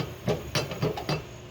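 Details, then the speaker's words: Hustler Super Z mower (about 3,900 hours, hard-used), purchase inspection, spindle spun by hand with belt off: four hollow knocks about a quarter second apart from a loose spindle pulley bolt letting the pulley rock; pulley or spindle shaft possibly ruined. "Now, that just means that this bolt is loose and it's possibly ruined this pulley or the shaft in the middle of the spindle assembly."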